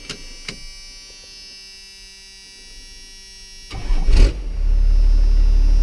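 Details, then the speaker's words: First-generation Cummins diesel pickup, started on a fresh battery after sitting almost two years. It fires right up after a short crank and settles into a deep, steady diesel rumble: a clean, healthy start. "fires right up."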